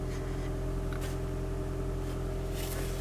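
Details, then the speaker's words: Toyota Prius hybrid put in maintenance mode via a TopDon TopScan Bluetooth scanner, parked, engine kept running, no trouble codes: smooth constant hum at a steady idle with no knocks, ticks or surging; normal idle. "my dashboard display is saying maintenance mode, and the engine's running, and it'll continue to run, which is this is a really useful feature."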